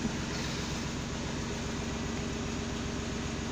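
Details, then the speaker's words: VW Polo 6N2 with a no-crank fault, after bypassing the faulty ignition switch with a start/stop button module: low, steady, smooth idle with no misses, knocks or ticks. "so now acc on foot on the pedal brake pedal it's working looks like a ferrari with this boat"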